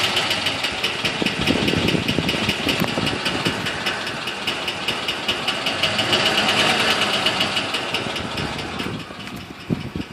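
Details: 2006 Ford F-150 5.4L V8 running with fast, light ticking about 150 a minute over the engine note; appeared during a long road trip; source not pinned down.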